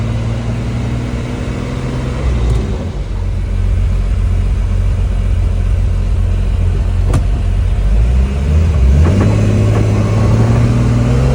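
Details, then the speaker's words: Turbo BMW E46 after new turbo fitted and exhaust leaks fixed, driving under load: smooth rising pull as revs build, clean deep exhaust note with no puffing or ticking; healthy turbo acceleration. "New turbo is on. Exhaust, everything is secure. No more exhaust leaks. It feels like a whole different car, to be honest with you."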